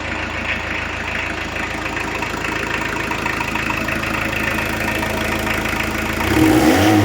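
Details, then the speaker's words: 1986 VW T25, 1.6 JX diesel, after an 8-year rest and a fuel filter change: steady, even idle clatter at about four beats a second with no knocks or misses, blowing a bit of soot with no oil. Healthy. "Okay, so blowing a bit of soot out, but all good. There's no oil in there. It's well, very healthy considering it's had an 8-year rest."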